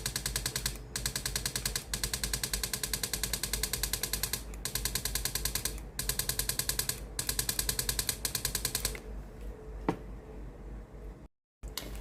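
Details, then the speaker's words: Philips GC7620 steam iron with hot soleplate, steam button pressed: fast buzzing pulses in one-second bursts as the water pump runs, but no steam comes out; pump valve broken, fixed by replacing the pump. "ตัวนี้ได้ยินเสียงปั๊มน้ำทำงานนะครับแต่ไม่มีไอ้น้ำออกมาในส่วนของตัวหน้าเตาเลยนะครับ"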